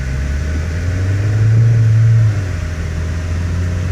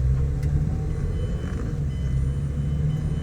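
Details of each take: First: 2008 Mazda 6 four-cylinder: a deep droning cabin boom swells mainly on takeoff, from a worn hydraulic passenger-side engine mount that may have leaked its fluid; the mount is then replaced. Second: 2008 Mazda 6 4-cylinder after replacing the worn hydraulic passenger-side engine mount, heard from inside the car pulling away: smooth low rumble, no clunk or thump, vibration gone; normal pull-away.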